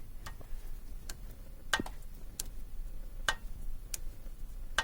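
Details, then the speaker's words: Audi 100 C4 2.8 AAH V6: irregular sharp knocks and ringing over a low engine hum, rising and fading with no steady rhythm, hard to locate from any side; intermittent knock, suspected to resemble a dual-mass flywheel. "Причина ляпа двигателя. Приходящая и уходящая. Такая она идет. Нарастающая, убывающая."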